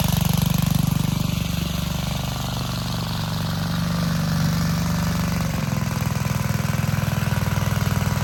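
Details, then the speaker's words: Vintage Gravely Model L garden tractor with Jenkins overhead-valve conversion, bought at estate auction, running after only cleaning points and adding gas: deep, even single-cylinder thump around three and a half beats a second, steady throughout; healthy and smooth. "Well, folks, of all the Model L garden tractors I've bought at auctions over the years, this one has by far been the easiest to get running. Literally, all I had to do was clean the points and add some gas."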